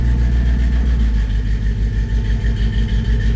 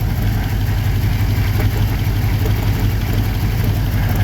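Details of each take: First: 1954 Chevy 3100 engine, cold, after refilling radiator with water and clearing code with reader: steady even idle, smooth low pulse about three beats a second, no misses; all cylinders firing, sounds much better. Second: 1954 Chevy 3100 V8, cold idle: lumpy uneven beat with one cylinder not firing, unknown which; injector working, suspected missing spark, connectors being checked.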